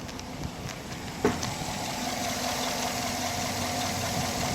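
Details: 2010 Chevy Silverado V8 after cylinder head teardown for a chewed lifter (cam also worn), head gasket replaced: steady even idle with one early bump, no check engine light, cylinder 7 misfire count now zero.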